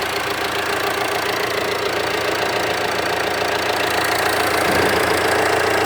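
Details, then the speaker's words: Jeep Compass diesel with 30,000 km at idle, recorded near the front of the engine: steady light ticking clatter about 3.5 per second over an even idle. Ordinary diesel combustion noise from a low-revving engine, nothing wrong. "É normal, gente, todo diesel tem essa característica, o motor mais ruidoso. Vou aproximar lá da frente para vocês ouvirem. Na frente fica um tchoc normal."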